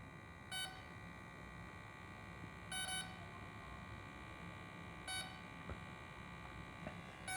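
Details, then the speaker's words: Dynam Messerschmitt BF-110 RC plane ESC with throttle at full then stick down: short high beep bursts about every two seconds over quiet background, ESC cycling programming-mode menu; one beep indicates brake setting. "so you hear how it's beeping so the esc beeps one beep is the break"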